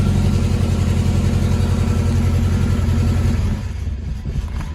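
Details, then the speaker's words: Moskvich/IZh Kombi carburettor engine after new spark plugs, HT leads and air filter: uneven, lumpy idle with a stumble about every quarter second, like one cylinder dropping out; still misfiring, cause not found, owner suspects ignition timing. "только троит все равно блин"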